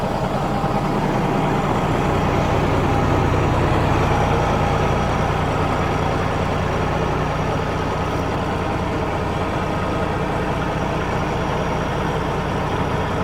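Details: Cat diesel in a Kenworth W900 during reassembly, at a deep, even idle with a steady low rumble and no knocks or misses; normal, healthy diesel idle.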